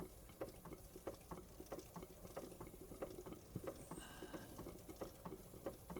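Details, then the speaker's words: Wilesco D32 model steam engine after restoration with a new control panel, cold January garage: soft, even chuffs about one and a half per second, unhurried and regular with no knocks; running slow and healthy. "So I'm going to quickly oil it. Like to get a bit of oil at that. Look how slow that will go."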